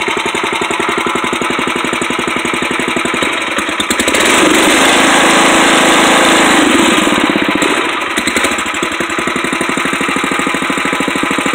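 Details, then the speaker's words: 1962 Wheel Horse 552 single-cylinder tractor, not warmed up: steady thumping at about four beats a second with a buzzy rattle on top; the owner doesn't know the source and suspects something vibrating. "That noise that's in there, I don't know what it is. It's probably something vibrating."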